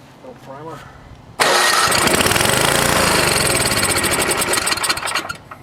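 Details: NOMA 8hp snowblower in cold weather, carb rebuilt with cheap parts, fuel on: fast, even cranking at about four turns a second that never fires. Fuel starvation; no gas at the carb needle.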